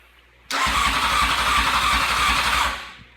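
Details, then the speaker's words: 2002 Honda CBR600 F4i with new wiring harness, ECM wires previously damaged: starter spins briskly but engine never fires; lights work, fuel pump gets power but won't prime unless jumped, no spark; owner has ordered new coils and ECU. "this is the symptoms headlights work no problem signal lights work brake lights where all that works pump doesn't prime and I'm not getting any spark now"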